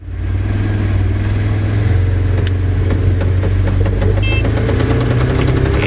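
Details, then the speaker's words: Tractor planting a field, sharp uneven ticks underneath over steady drone: a plastic piece pushed against the driveshaft each time it passes over cornstalks; repeatedly fixed. "that ticking noise going on underneath I thought it was a quarter stock stuck under there but it turns out you're the piece of plastic that every time we go over a cornstalk again gets pushed up against the driveshaft"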